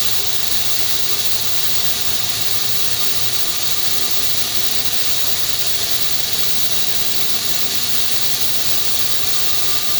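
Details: FH680 machine spindle running after a cable replacement: steady, high-pitched hiss and squeal without letup; abnormal noise suspected to come from a rear bearing, not confirmed.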